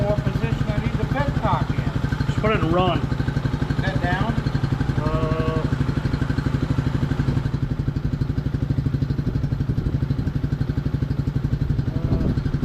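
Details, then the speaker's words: 1998/1999 Suzuki DR200 single, about 796 miles, revived after nearly a decade sitting: steady, even single-cylinder idle with no knocks or misses, settling as it warms; sounds similar to the owner's Warrior. "Okay. She sounds very similar to my warrior."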